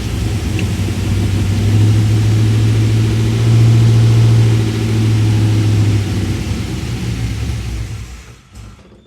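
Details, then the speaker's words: 1967 Chevy C10 with LS1 swap, after key off: keeps rumbling at steady idle about three beats a second, then sags and dies seconds later; run-on, owner suspects the keyed 12-volt source isn't truly keyed. "Okay. Like, isn't that weird that it doesn't just shut off?"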